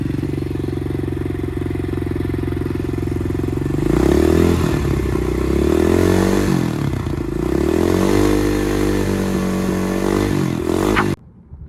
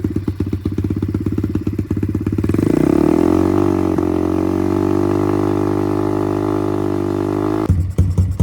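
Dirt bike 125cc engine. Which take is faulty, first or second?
second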